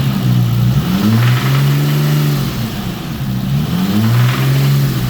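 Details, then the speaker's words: 1991 Nissan Skyline GT-R, RB26 engine, possibly ex-track car: revved twice, a harsh metallic rattle rides over the rising note each time; owner unsure whether it is valve tap or rod knock. "as you can see when you rev it does that crazy rattle and it's somewhere in this area so i don't know if that's valve tap or rodnock"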